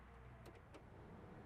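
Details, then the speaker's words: 1987 Chevy C10 squarebody HVAC blower motor, key on after troubleshooting a no-air fault traced to the power-wire connection at the motor: quiet steady hum with faint electrical buzz and light clicks; fan working normally. "Okay, moment of truth. Let's turn the key on. And there we go. You just hear the buzz right now, but hey, fan is working."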